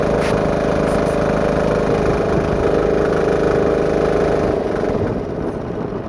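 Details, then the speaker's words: Home-built diesel air compressor at full throttle after new belt install, around 80 PSI: steady diesel thrum with uneven flapping flutter about three to four beats a second; loose drive belt slapping but staying on. "I like to run it on Full Throttle so that way it will engage the clutch the most so the clutch doesn't slip the Bel still Flats a lot but it's not Flo off yet"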